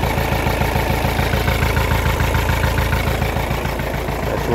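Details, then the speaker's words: Kia Carnival diesel that would not start without throttle, with ABS light on and tach and speedo dead; diesel clatter with a limping, uneven beat while warming, turbo okay; rough idle. "pincang, nggak stabil."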